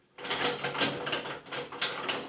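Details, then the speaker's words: Ariens snowblower drivetrain, tire off, wheel turned by hand: bursty, sharp, dry ratcheting click-and-grind about every half second from an axle and bushing worn about as far as possible. "We'll move this thing by hand. I want you to see the difference between the axle and the bushing. That's about as wore out as you can get."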